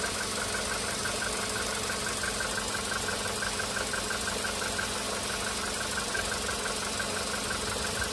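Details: VW Polo Sedan CFNA on firmware 9970, cold idle during warm-up: a steady light ticking knock about three per second over an even engine note. The knock is weaker at first and strong from about the 5th minute; piston slap.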